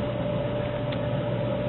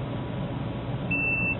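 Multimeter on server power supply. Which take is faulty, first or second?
second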